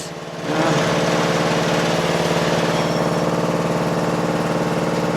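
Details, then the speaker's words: Toro Wheel Horse 825 riding mower (Recycler 56132), Briggs 8HP, right after new battery, replaced carburetor, throttle/choke linkage refitted, oil and gas added: catches after brief crank on choke, settles to steady even low idle at lowest throttle; healthy. "Ooh, ooh, ooh, ooh. Sounds great! I'm going to put it all the way to the lowest idle."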